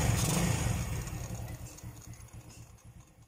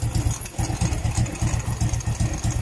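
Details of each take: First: Euro Sport R125 motorcycle after replacing the exhaust gasket/O-ring to cure noise and backfire: an even, low putter at about four pulses a second with no popping or rattles. It idles normally. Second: Euro Sport R125 (ESR125) motorcycle idling: rough, lumpy idle with a loud pulsing puff on each firing; noise suspected from a leaking exhaust gasket/O-ring at the pipe joint, replacing the O-ring suggested.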